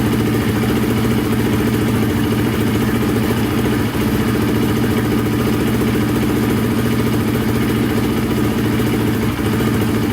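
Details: Polaris Predator 500 quad, single cylinder, repaired after wrong timing and a snapped Woodruff flywheel key: steady, even beat at constant speed with no knock or miss, flywheel key intact; pipe burning off residue; running normally.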